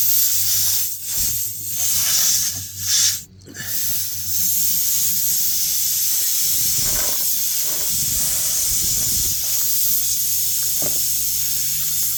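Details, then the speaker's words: Car tire flat from a screw, jacked up on stand: steady sharp hiss of air escaping through the puncture hole, constant with no rhythm, before plugging with a tire plug kit. "I can hear it starting to leak. I moved it a little bit and I plug I think I plugged it up but yeah if you can hear it on camera but I can hear it."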